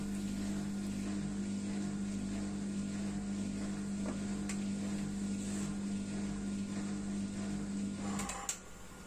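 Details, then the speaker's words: Beko dishwasher after replacing the circulation motor that was tripping the fuse, wash mode: after about 30 seconds of draining it takes in water, a steady low hum that cuts off cleanly; normal fill, no grinding. "Les lave-vaisselle fonctionnent en mode décharge d' eau pendant environ 30 secondes, au cas où il y aurait de l'eau dedans au premier démarrage, puis ils commencent à aspirer de l'eau et maintenant ils déchargent de l'eau"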